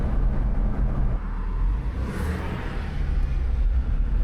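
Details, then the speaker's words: 2006 Jeep Wrangler TJ road test after replacing the leaking clutch master cylinder, hydraulic line and slave cylinder with a pre-bled kit: steady low engine and road rumble, no slipping, grinding or clunks; transmission now shifts perfectly. "Even though you can't quite see it, the transmission is shifting perfectly, so let's get this thing back home."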